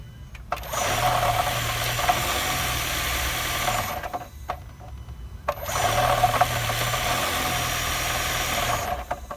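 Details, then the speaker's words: 2017 Honda Accord hybrid at idle: two long bursts of a low droning hum with faint, irregular tapping. Owner is unsure whether it comes from the engine or the battery charging. The dealer called it normal; the owner disagrees. Abnormal engine noise at idle. "2017 Honda Accord. There is some noises. I don't know if it's from the engine or it's like when the battery chants."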